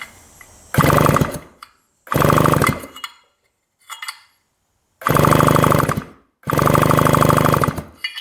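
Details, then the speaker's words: 1975 Yamaha RD200 two-stroke, barn-stored 20+ years: repeated one-second cranking bursts with steady rapid compression beats, no firing even with new Champion plug and key/kill switch checked; no spark. "nada zero Spark let's try the key in that position doesn't work"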